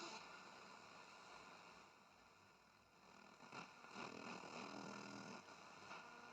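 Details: Braun SK25 tube radio before restoration, on AM with a mini-whip antenna, powered through a Variac and dim-bulb lamp. Raised to 220 V, the radio sees 193 V and draws 100 mA. Faint steady hiss and crackle with weak station fragments; weak AM reception with static.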